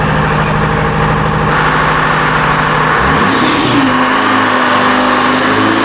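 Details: Detroit Diesel 453 two-stroke on dyno making over 600 ft-lbs: heavy, even drone at full load, tone shifting midway as the bypass valve just starts cracking open; healthy pull under heavy load.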